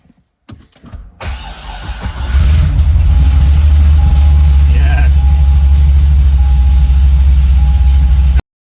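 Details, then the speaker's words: Engine-swapped Corvette C6 Z06, first start after the swap: cranks briefly, catches, then settles into a deep choppy idle loping about three times a second, normal for its big aggressive cam. "Hell yeah, brother. So weird. That's a hog ass cam."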